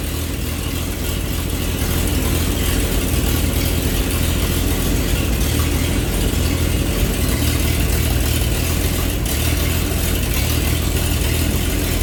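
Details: 1948 Chevy truck six-cylinder, first start after 30 years sitting, with diesel fuel in oil pan, new plug wire end and readjusted points: low steady rumble, even beat, no misses or knocks; normal running.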